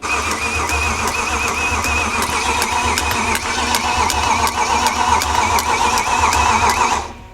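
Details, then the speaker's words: BMW M3 GTR-style build with V8, first start after swapping reversed connections: strong, even V8 bark with crisp steady firing, no knocks or misses; sounds a bit dry but healthy. Afterwards it cranked without brake pedal. "It's okay, it just sounds a bit dry. She sounds good. Yeah. It's making S65 noises."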